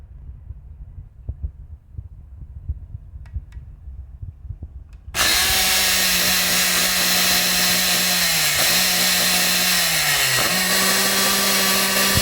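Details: Electric motor starts with a loud hum, then its pitch sags and dips twice, surging unevenly instead of running steady; the motor stutters as if misfiring, cause unclear.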